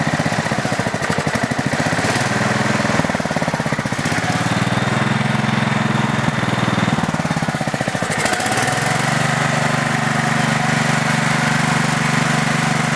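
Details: Craftsman LT4000 lawn tractor single-cylinder engine on two-year-old gas, carb not cleaned, first startup slightly smoky: a fast regular tick rides over the exhaust beat as revs rise and fall; owner suspects the valves, unconfirmed.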